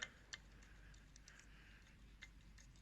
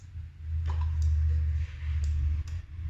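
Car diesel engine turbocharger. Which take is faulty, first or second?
first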